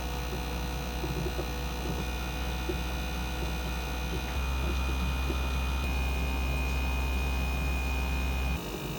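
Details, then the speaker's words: Samsung ventless all-in-one washer/dryer heat-pump variable-speed compressor during drying cycle: thin high-pitched whine over low drone, pitch rising as cycle progresses; whine faded after about 20 minutes, heat exchanger found filthy, cause suspected not confirmed. "Here are some of the high pitched sounds that really happen within a 5-minute period."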